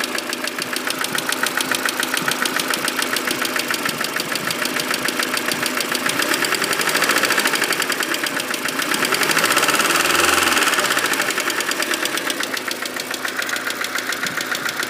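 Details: Mercedes W168, engine fully warmed up: at idle a sharp, loosely regular ticking knock, about three to four per second, rides over the engine; source undetermined. Engine knocking when warm.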